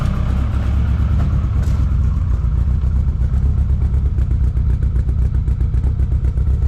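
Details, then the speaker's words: Newly built 3SGTE turbo engine in a TE27 with Haltech, first start after priming the oil pump, no coolant in yet: loud, steady idle with an even low exhaust beat around four pulses a second, no knocking or ticking; normal idle. "It fires up under its own power. It sounds good."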